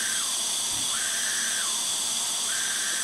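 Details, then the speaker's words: Craftsman self-propelled mower with a 6.5 hp Briggs & Stratton engine on a leak-down test (40 psi in, about 25 held). A steady airy hiss with a wavering whistle is air escaping past the exhaust valve: bad valves or valve lash suspected. "it's definitely some wee thing coming out of the exhaust valve so bad valves or valve lash"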